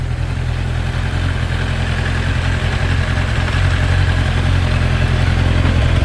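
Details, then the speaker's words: Kawasaki ZZR 1100 inline-four after two months of crash repairs, new exhaust system fitted, coolant refilled: deep, even burble holding a steady idle with no ticks, knocks or exhaust blowing; sounds great, healthy idle. "Oh, yeah. Oh, it sounds great. I am one super happy chap."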